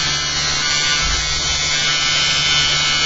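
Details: Generator test rig, new eccentric bobbin and magnet holder fitted, run without cores: steady hard high-pitched buzz with fine rattle throughout; something loose vibrating, cause not confirmed.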